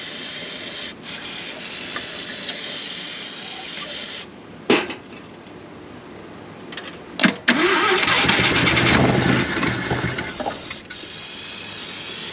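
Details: 1971 Mazda RX4 race car, 13B rotary, long parked: several short cranking bursts, catches and runs roughly a few seconds, won't hold idle; owner running out old E85, suspects fuel, possibly out of fuel or flooding; stalling after start.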